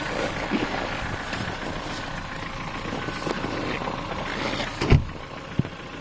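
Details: Ford Focus 3 1.6 petrol, 125 hp, warm idle: light quick tapping over steady idle, louder when cold; worn piston pin from poor-quality parts, can appear as early as 10,000 km.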